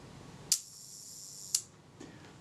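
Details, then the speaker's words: Kodak Retina Reflex III film camera being serviced for a shutter that did not work, reassembled and test-fired at the 1-second setting: crisp opening click, faint buzzing escapement, closing click about a second later; the slow speed times correctly. "Set the speed to, let's set it to 1 second. And fire the shutter. There's the shutter release."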